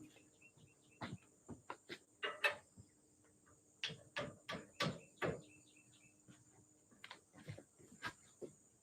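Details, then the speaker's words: Colson bicycle bottom headset race being hammered in: sharp blows changing from a hollow wonk to a crisper whack, meaning the race is fully seated and further pounding would cause damage. "did you hear the tone difference kind of a wonk wonk and then a whack whack that means it's in there and if you keep pounding on it bad stuff's gonna happen so it's in there it's good"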